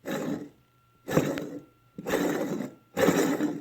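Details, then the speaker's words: Old idler pulley removed from a 2007 Subaru Forester, spun by hand: rough gritty grinding from worn bearings; the engine had whined, worse in cold weather and after starting, loudest near the A/C compressor, and the new pulley spins smoothly. "can hear the bearings in that guy and the new one smooth as butter"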